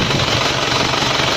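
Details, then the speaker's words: Isuzu Panther Royale diesel, idling after a 24-hour trip with a dry engine: a steady, even clatter with no misses, knocks or hunting and no smoke, so the engine is judged healthy. "Nah ini ya, walaupun habis dipakai perjalanan 24 jam tidak ada asap yang keluar, ini menandakan mesin ini sehat, tidak mogok, tidak ada asap yang keluar,"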